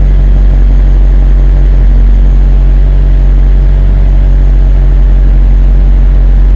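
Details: BMW 740Li V8 with a P0300 multiple-cylinder misfire: heavy, lumpy idle with an uneven puffing exhaust. Correct spark plugs are fitted; the ignition coils are suspected faulty.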